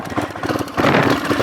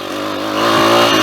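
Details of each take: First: Small pit bike roll-started downhill in second gear after it tipped on its side and would not start. It stutters and pops unevenly, then catches into a ragged run. The owner suspects a flooded carby (too much fuel), not confirmed. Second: Small single-cylinder pit bike engine buzzes evenly and climbs smoothly as it revs after a second-gear downhill roll start, no stumbles or misses. It had refused to start, and the owner suspects a flooded carby. Now running cleanly.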